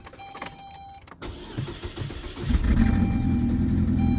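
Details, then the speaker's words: 2007 Saturn Ion with an intermittent misfire, battery recently disconnected: slow cranking at about four turns a second, then a rough stumbling catch because the engine is flooded. "all right listen to this we'll start now it's flooded"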